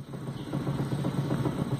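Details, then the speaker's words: Car with engine off, steering wheel rocked by hand: quick dull clunks with each rock, from play that could be the inner tie rod (axial rod), steering rack or tie rod end. "e Fala galera beleza Jaime Marques aqui no vídeo de hoje eu vou mostrar para vocês um barulho no carro que pode ser braço axial caixa de direção ou terminal de direção como o carro desligado você balança o volante e sente esse barulho"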